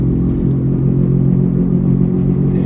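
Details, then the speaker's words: 1996 Volvo 850 Turbo, right front wheel, while driving: awful steady low droning hum and growl that builds with speed; suspected front wheel bearing/hub assembly, not yet confirmed. "it's making an awful noise from the bright front tire I don't know if you can hear it on camera but it gets worse with speed"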